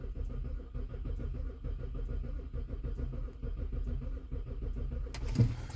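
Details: BMW E70 X5 (2007-2009), sat a couple of months with dead battery, key security OK: steady rhythmic starter churning with no firing, cranking until it stops; crank no start.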